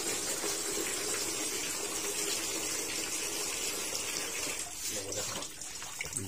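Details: Sanyo washing machine after repair of a fault where it filled then leaked water out: steady gushing water into the drum without interruption or odd mechanical noise; normal fill.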